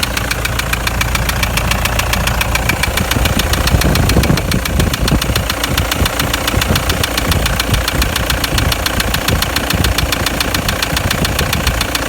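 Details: Toyota Land Cruiser Prado 120 1KD-FTV turbodiesel, 366,000 km, knock since towing a trailer over a mountain pass with a temperature rise: sharp, regular knock about 214 per minute at idle; injectors tested fine, endoscopy showed scoring in cylinder 3; source unconfirmed.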